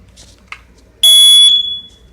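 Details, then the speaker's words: Newly installed hardwired smoke detector, with the breaker back on, gives a single loud, piercing, high-pitched shriek about half a second long on test. The alarm sounds normally. "see you can hear that it's working and she's working pretty good"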